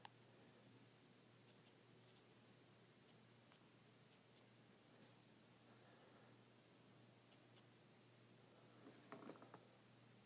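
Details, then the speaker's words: Sony SEL1855 kit lens on a NEX-7, microphone held close to the camera: nearly silent aperture opening and OSS, only a faint steady hum and soft ticks; normal and far quieter than the grinding SEL35f18 prime. "let's listen to it when it opens up see it's it's almost you almost can't even hear it"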